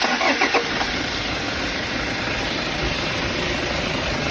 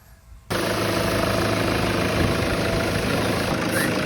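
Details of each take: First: Toyota Fortuner diesel with 175,000 km starts and runs with busy clatter and a faint steady whistle rising toward the end; noisy turbo, removed for inspection, found dirt buildup. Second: Toyota Fortuner diesel, 175,000 km, after turbo was removed, found undamaged but dirty, cleaned and refitted: steady even idle rumble, turbo noise gone, no whistle.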